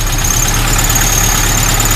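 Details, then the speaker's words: Suzuki SJ413 fitted with a Toyota carburetor, idling: steady, even idle with a thin high squeak or rattle in the background that is not the engine; engine fine, running better than the stock carb. "that Toyota carb works really good on here. It's nice and steady. It runs better than the actual stock carburetor."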